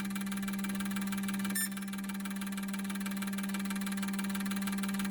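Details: Injector cleaner running a set of injectors from a 2002 6.0L drive-by-cable LS V8 being prepped: even pump drone with fast, light injector ticking, running normally.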